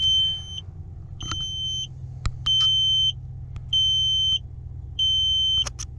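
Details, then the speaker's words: On a newly bought flex-fuel Dodge with an aftermarket Hopkins backup sensor system, at key-in inside the cabin: about five even high-pitched beeps, roughly one a second; the normal but long startup chime of the parking sensors. "But it's got backup sensors on it, and they beep for like, oh man, forever. It seems like when you first start it."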